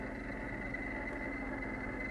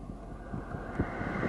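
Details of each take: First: 2008 Mercedes-Benz CLS 550 with the engine running: the worn AC blower motor, already oiled once, squeals constantly from below the passenger-side glovebox, and the squeal rises and falls with the fan speed. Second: 2008 Mercedes CLS 550 AC blower, passenger side below glovebox, after replacing the squealing blower motor, AC turned up: soft, even rush of air with no squeal or chirp; blower running smoothly.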